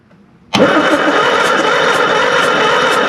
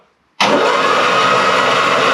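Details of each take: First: Classic Mini Van engine, off the road 25 years, cranked with a plug out: even rhythmic churn for about four seconds with no firing; no spark, later restored by filing the points. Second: Classic Mini Van engine, off the road 25 years, bores oiled, first crank: sudden steady hissing whoosh as it spins evenly on the starter, oil spraying from the bores; turns freely, not seized.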